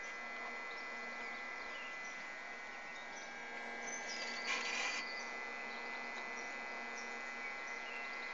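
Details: Three-year-old Xbox console: steady high buzzing hum with thin tones from the cooling fan, noise sometimes coming and going for about eight months; console later shut itself off.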